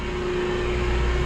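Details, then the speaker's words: Boiler room circulation pumps for an old water source heat pump and cooling tower system with antifreeze, alternating by run hours: steady low hum with a constant mid-pitch tone, no rattle or grinding; pump running smoothly. "all right here's our two pumps you can hear this one running this one's running that one's off the cycle based on how many hours they run"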